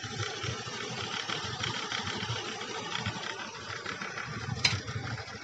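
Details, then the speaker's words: Honda Beat scooter after CVT service with parts replaced, including rear clutch pads, for a whirring noise from the CVT case at speed: steady even idle putter, no rubbing or whirring from the belt case; sounds smooth and healthy. "annya tadi udah dibuktikan sekarang suaranya Udah halus Hai nah teman untuk seperti ini udah halus ya"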